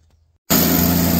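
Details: Katolight 110 kVA three-phase diesel genset, run outdoors: quiet, then fires and settles into steady even low drone, no misses or knocks; runs great and came up to temperature.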